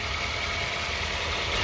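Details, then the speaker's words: Used car, engine checked cold, idle after coolant check: even, steady idle with no rise and fall, misses, grinding or odd noises; healthy engine, normal idle. "tapi karena ini masih sehat Bekasi akan langsam stabil suaranya juga halus tidak ada suara-suara yang aneh seperti ngepic ngeres ataupun suara yang lainnya"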